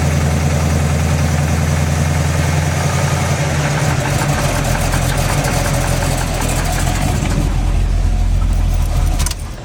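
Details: Freshly built SBC 350 (aluminum 64cc heads, 10:1 flat-top pistons, Edelbrock intake, 600cfm carb, likely out of tune): cranks, catches, rough idle then revs in gear with an uneven ticking knock; persists with plug wires pulled, owner suspects piston slap or flexplate.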